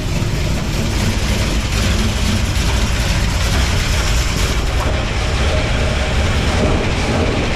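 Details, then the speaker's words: V8 truck idling just after being lowered, with header flanges freshly sealed: heavy steady rumble with a faint uneven stumble. Owner suspected a bad plug wire or a misadjusted number seven valve; the cause was a misfire from an unseated pushrod. "sounds like it might be a slight Miss in it might have a bad plug wire"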